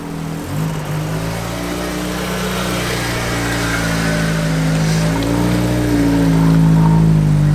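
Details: Ford engine revving with a low droning hum and some knocking underneath; checked alongside Japanese cars, something is clearly off but the cause isn't pinned down, only suspected.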